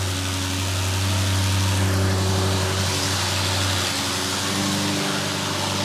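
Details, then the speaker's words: Fire-damaged Audi RS6 after engine and wiring repairs, first start on third attempt: deep, even burble holding a steady low pulse at idle with no misses, knocks or ticks; now fully working and running. "I cannot believe the engine is finally on and we have a fully working and running RS6."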